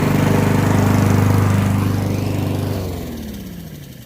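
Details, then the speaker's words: Honda push mower found in trash with bad gas and clogged carburetor, after cleaning the carburetor and main jet to cure surging; holds a steady, even beat with no surging or hunting, then switched off and coasts down. "all right look at that it's running great"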